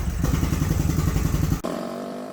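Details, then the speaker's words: Honda Shadow V-twin (two cylinders, four spark plugs), warmed up after new plugs and spark check following carb cleaning and rebuild, about 28 miles since revival: lumpy idle with quick regular light tick on firing beat, suspected from front cylinder, unconfirmed. "as you can tell you can hear like a tick i think it's coming from this front cylinder here"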